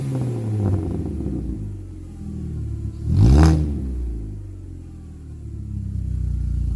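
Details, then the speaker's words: Jetta after a muffler was added to a formerly straight-piped, open-header exhaust from the cat back: low, mellow rumble with one brief rev and faint tone at the top, no popping or rasp; exhaust quiet and sound. "Sounds pretty good. That's really quiet at idle. Still got a little bit of tone up high, but I think that's definitely sounding pretty good."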